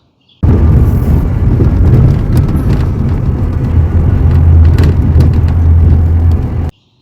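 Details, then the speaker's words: Older Ford Ranger pickup driving over bumps: heavy low road rumble with scattered sharp clatters and buzzes as loose doors rattle, caused by old, worn rubber door seals and a door bump stop. "The reason your truck sounds like that is because your doors are loose, and that's because of two things. The rubber seal around the door gets old and wear out, and then you got one bump stop right here"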